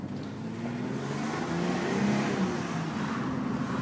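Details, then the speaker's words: Mitsubishi Galant VR4 test drive, light-throttle pull-away: even engine note climbing smoothly, no knocks, clunks or whine from the driveline, only mild road noise; transmission sounds healthy, normal acceleration. "So you just pull out, you'll hear no knocks, no bangs, no creaks, no cracks, no squeaks or otherwise. The transmission's beautiful"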